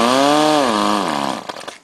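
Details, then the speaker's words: Powerwise ink pump air motor under air pressure after rebuild: as the bolts are tightened, compression improves and a strong, even whir holds steady, then winds down smoothly. The motor runs healthy. "now you should notice as it gets tighter you get better compression from the sound of the motor you can hear it now we have that tightened up you know it's running okay"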